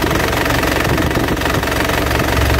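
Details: Isuzu Panther LV 2.5 turbo diesel (2010), fairly warm, idling: steady, even diesel clatter with no misses, surging or extra knocks; no blow-by at the oil filler, engine healthy.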